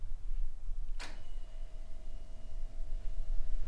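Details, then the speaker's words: 1985 Toyota 4Runner, fuel pump jumpered with ignition on before first start: click then faint steady single-pitch hum; electric fuel pump priming, normal operation, no leaks. "I don't know if you can hear that but the pump came on"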